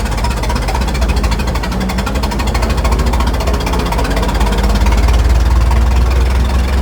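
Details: Restored 1921 American LaFrance fire engine under way on the street: a deep, low, steady four-cylinder thrum with even firing pulses, no knocks or misses; fine restoration, old engine running sweetly, normal.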